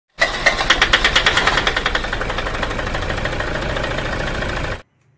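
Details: Toyota Fortuner diesel runs rough and vibrates, with a hard, uneven clatter and pulsing knock; no engine teardown needed.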